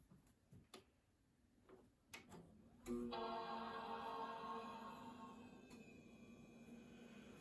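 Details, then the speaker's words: iMac G3 Tangerine running OS 9.2.1, powered on: a few soft clicks, then one bright sustained boot chord that rings and slowly fades; a normal, healthy startup chime, CRT then warming up. "Okay, let's power on the Tangerine and hear that lovely boot chime."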